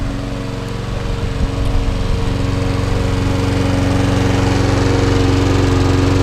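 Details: Trash-picked petrol lawnmower, oil-filled tank, run on fuel put into the head: on test it runs steadily with a rapid even beat, no longer smoking, but owner suspects it isn't right, perhaps the head gone or worn pistons.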